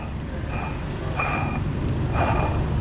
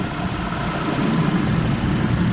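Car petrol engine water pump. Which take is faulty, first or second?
first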